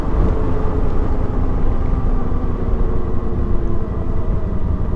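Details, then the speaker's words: Metzeler Karoo 3 knobby tires on a heavy adventure motorcycle, about 2,000 km of use, coasting with the engine off on tarmac: deep steady rumbling drone from the tires rolling; very noisy. "See, these are the tires. They are noisy. Very noisy."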